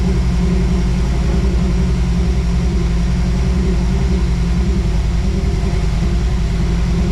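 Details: 1978 Toyota Land Cruiser with fresh 350 V8, after fuel-related fixes: deep steady V8 idle with an even lumpy beat, no misses or stumbles; running cleanly, normal idle.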